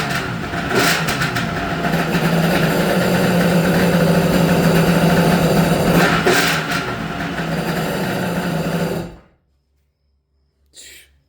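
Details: Restored Kawasaki 550SX two-stroke jet ski (stage 2 ported reed motor, dual 38 Mikunis), low carb screws one turn out: crisp buzz holding steady idle with a few throttle blips before shutoff; runs clean and healthy.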